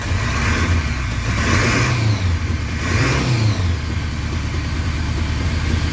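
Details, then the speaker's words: 1981 Honda Goldwing after a single-carburetor conversion and vacuum fix: an even idle, then two clean blips rise and fall back smoothly to idle without hesitation. Vacuum issue appears fixed; idle may need raising with carb tuning. "rev up pretty high so some tuning on the carburetor is required but as far as the vacuum stuff sounds like it's good to go"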